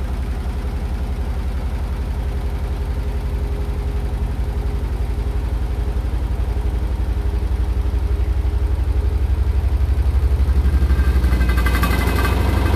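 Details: Hotpoint NSWR843C washing machine on final fast 1200rpm spin: rapid even thumping rattle about four times a second over a low drone, growing louder near the end.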